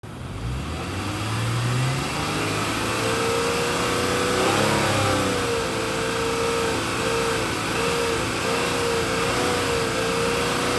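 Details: 2006 Honda Accord V6 pulling away: steady mid-pitched droning hum over the engine, heard for 20K miles and seemingly louder since engine mounts were replaced; source not pinned down.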